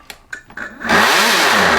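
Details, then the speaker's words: Brand-new Toro 60V Max handheld blower model 51822: a few clicks, then the motor spins up to a loud, harsh rushing roar with a wavering tone; abnormally noisy, owner suspects a broken fan blade, unconfirmed before disassembly. "That's pretty noisy, so I'm pretty sure that a blade's broke off on the fan."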